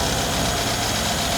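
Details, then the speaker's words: Mercedes W212 E63 AMG V8, one injector wire unplugged to demonstrate: uneven, shaky idle with stumbling beat as one cylinder drops out, check engine light on; single-cylinder misfire, as owner's complaint of vibration and warning light. "그러니까 두 가지죠. 차주 입장에서도 없었던 경고등이 발생이 되고, 두 번째로는 차가 없었던 진동이 생기는 거죠. 부족. 그러니까 해당 실린더가 연료를 쏴도 폭발을 못하니까."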